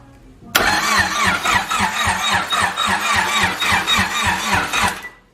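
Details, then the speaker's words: Honda EG, first crank in three years after battery install, starter jumped with brake switch bypassed on immobilizer box: even starter churn about four beats per second for four and a half seconds, engine turns freely but doesn't start. "and we can hear it crank over my boys so she cranks over DG y'all two years"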